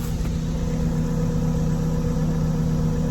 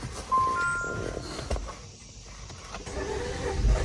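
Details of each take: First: 2018 Jeep Compass Latitude with light damage, heard outside by the exhaust: smooth even low exhaust burble at steady idle, no knocks, ticks or rattles; very quiet and healthy. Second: 2018 Jeep Compass Latitude with light damage and a nearly dead key fob battery: starter turns the engine over in a steady chug at three to four beats a second but it never fires. Cause unconfirmed. Crank no start.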